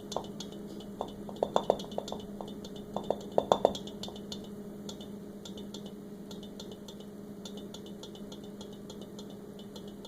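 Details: KitchenAid KSRP25F refrigerator humming steadily while sharp irregular knocks come in quick clusters, then fade to faint ticking.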